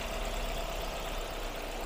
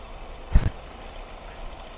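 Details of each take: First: Ford Focus that shook and lacked power uphill, recorded at idle: low, lumpy, uneven beat. The scan tool flags the cylinder 3 ignition coil, cylinders 1–3 misfire, and water was found around the coils. Misfire from failed ignition coils; three coils need replacing. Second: Ford Focus at idle after three failed ignition coils were replaced. Quiet, even low idle with every cylinder firing and no shaking; one brief bump is handling noise: normal idle.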